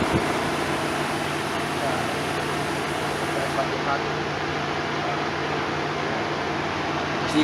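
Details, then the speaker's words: Car with engine off, coolant at 165, cooling fan switched on with a scan tool: a steady, even whoosh of air with a low constant hum and no rattles or scraping; the cooling fan runs normally. "you can see I could turn the cooling fan on using the scan tool so come around here now once I hit this button you'll be able to hear the fan kick ass on"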